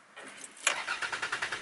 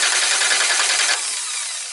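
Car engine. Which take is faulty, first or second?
first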